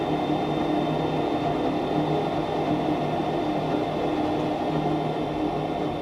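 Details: Goodman furnace GMEC960603BNAC after replacing burners, at startup: constant, even inducer fan hum with a faint steady tone and no rattle or scraping, running healthy before ignition, which then lit quickly.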